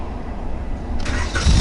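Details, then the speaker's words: 1988 Honda with 125,000 miles, bought from Copart, dead battery, started with a portable jump-starter power bank. A short crank, then the engine catches at about one second and builds into a steady run. It starts cleanly and idles. "Let's see if it's gonna actually work and if it's will have enough strength to start this old huge Honda motor."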